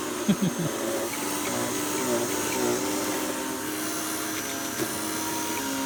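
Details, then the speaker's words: Bagged vacuum cleaner on test picking up debris: steady motor drone with hum and rattling pickup, motor sounds laboured and really straining; cause not evident. "it just it just sounds like it's really straining"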